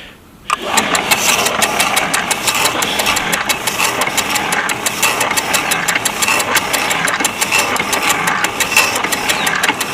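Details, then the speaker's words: Rusty, probably Chinese-made power hacksaw with a Northern motor, freshly oiled, on a homemade pipe stand; motor starts and settles to an even, unlabored stroke of about two per second while cutting; saw seems to work well. "see if it cuts its way through and turns itself off. See that it even works."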